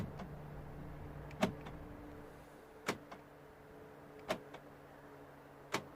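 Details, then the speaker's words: 2009 VW Golf interior lock button after cleaning repair: four crisp lock clunks about 1.5 seconds apart over a faint hum; central locking now works normally. "i just gonna press it working beautifully job done"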